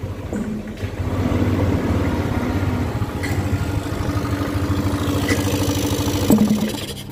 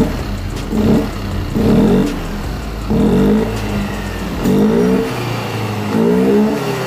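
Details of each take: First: Yamaha Aerox 155 scooter, recent model, starts and idles fine but bogs and hesitates on sharp throttle blips at low revs instead of picking up. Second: Yamaha Aerox 155 after cleaning the dirty ISC idle control valve tip: five clean throttle blips with revs climbing and dropping crisply, no hesitation; normal response restored, fault was not the injector or in-tank fuel pump.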